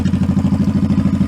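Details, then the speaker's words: 2002 Honda Shadow Aero 1100 V-twin, after carb kit with new jets and shims: steady, even potato-potato idle lope with no misses or popping; clean, healthy idle. "I like the pipes. I think it sounds good."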